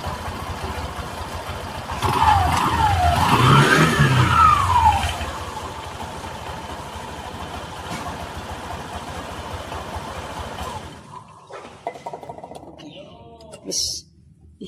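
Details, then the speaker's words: 2018 Honda Vario 150 gen 1 scooter after CVT repair: two smooth throttle blips rise and fall cleanly, then a quiet idle with no rough grinding; the CVT now sounds normal. "Ini tidak ada suara lagi. Jadi identifikasi pada motor ini kita gas-gas juga ya. Apakah masih ada suara atau sudah hilang suaranya."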